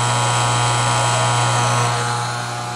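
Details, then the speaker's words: 20-year-old Whirlpool dishwasher that is acting up: the motor (owner guesses the pump) gives a dry, steady electric hum with a thin buzz and no splashing or water rush, running without filling the tub with water. "But normally when you do this, it would be filling it up with water."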